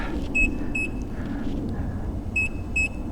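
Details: Nikola Plus 100V 1845Wh electric unicycle near end of full range test, tilt-back getting bad: two sets of quick high double beeps over wind and tyre rumble, the low-battery alarm.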